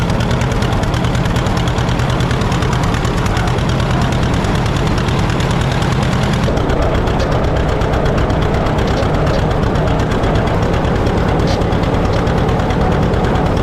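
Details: 1950 John Deere D, reassembled after fixing a corroded exhaust valve and a blown head gasket: loud steady two-cylinder popping chug with pace jumping quickly; throttle too touchy, owner suspects the governor, unconfirmed.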